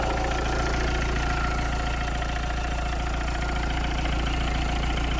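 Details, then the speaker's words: Renault Clio II dCi diesel after alternator pulley repair, which previously made a very loud noise: steady even idle at about 3.5 beats per second, smooth clatter with no squeal, grind or rattle; problem resolved. "voilà donc c'est tout bon pour la renault clio qui aux deux la panne rappelez-vous de l'alternateur avec un bruit énorme maintenant problèmes résolus"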